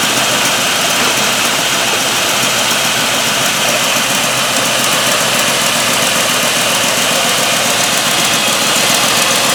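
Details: Truck with LS V8, over 250k miles, after replacing intake manifold gaskets for P0171/P0174 lean codes, manifold bolts not yet torqued; steady, even run with bright airy hiss on top, no knocks or misses; running smoothly.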